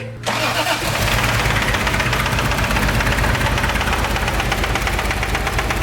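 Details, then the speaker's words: Toyota Supra 7M engine at first start with a rigged fuel pump and cheap oil, oil pressure only about 15 psi: rough start then coarse, rapid, tractor-like clatter at idle; heavy internal knock judged unfixable, engine swap planned. "so consensus super sounds like a tractor it does not work does not it will run but there's no fixing that"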